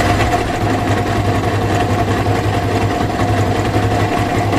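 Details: Yamaha R15 version 1 at 62,000 km, idling: busy idle with an uneven chattering rattle riding over the engine, about two beats a second; abnormal engine noise, cause unclear.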